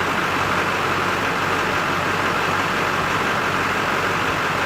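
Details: 2003 Chevy Silverado 2500HD, 6.6L Duramax LB7 diesel (~17.5:1 compression, glow plugs), idling after its two batteries were replaced, charging at 14.6V: even, steady diesel rumble with no knocks, misses or surging; engine running healthy.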